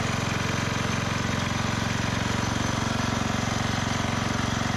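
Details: 1991 MTD 12/38 riding mower, received free and getting a rattle-can restoration, just fired up after engine work: a steady, even idle thumping about three beats a second with no misses or knocks. Normal idle.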